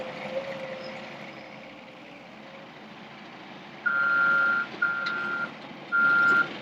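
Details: Diesel front end loader with 1638 hours that failed to start until a small wire switch on the injection pump was fixed: steady engine rumble, then three clear reversing beeps about a second each. Running normally while backing up.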